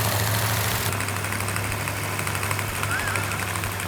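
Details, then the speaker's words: New 440 six-barrel V8 with a Comp Cams Mutha Thumper cam, held at raised rpm during cam break-in: steady V8 roar at fast idle with no tapping, knocking, rattles or leaks. Normal running at raised rpm. "all right we have the engine running exactly the way it's supposed to no leaks no rattles no knocks it is complete"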